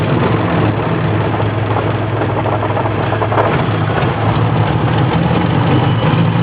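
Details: BMW E30 petrol engine idling with an uneven, loping beat and occasional stumbles in the low rumble; rough idle, cause not evident.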